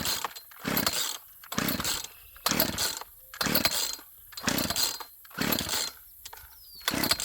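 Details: Chainsaw that sat unused for years: repeated pull-cord rasps about once a second with no firing between pulls; cranks but won't start, cause not yet found.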